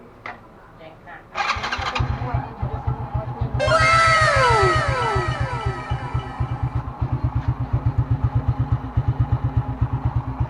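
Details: Motorcycle after cleaning the spark plug to fix hard starting: short crank, catches at once and settles into an even putt-putt of about four beats a second; starts and idles normally.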